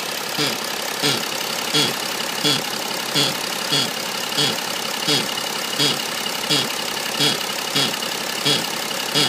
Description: Weird noise coming from the engine of my E90 330d. It comes and goes and isn't relative to engine speed.